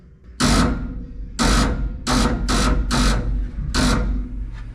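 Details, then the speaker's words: 1947 Ford cab-over V8 after about 60 years parked: five heavy clunking bursts about a second apart over a low rumble when cranking; began after a new solenoid was fitted; ring gear, starter drive or solenoid suspected, not confirmed. "so what's up with that is the ring gear spinning on the flywheel now or I'm not oh or it's the starter Drive spinning"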